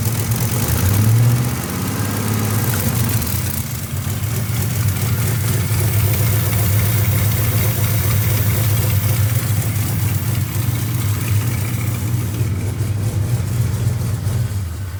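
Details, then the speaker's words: Pontiac just refilled with five quarts of oil plus half a quart of additive: rough, uneven low idle with a busy, clattery edge. Owner suspects the top end, and the noise seemed to switch sides, so valve covers will probably come off again. "now she's she's hurting guys that's not a good sound at all i mean not that any of my videos usually have a good ending anyways it's usually something broken um but that's something's not good um uh it still sounds like it's the top end"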